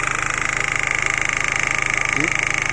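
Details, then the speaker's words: 2000 Holden Astra, 1.8 L 18XE, with long-cranking hard start (crankshaft position sensor glitch suspected): once running, engine idles smoothly with quick, even pulsing about nine beats per second, no misses. Normal idle. "look at the engine guys it's running smoothly guys"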